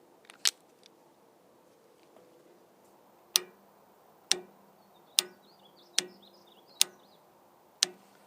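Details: Auxiliary hydraulic valve solenoid from a 1994 John Deere 310D backhoe, cleaned and reassembled, bench-tested on a battery; crisp single clicks about one per second, pulling in and releasing properly after repair.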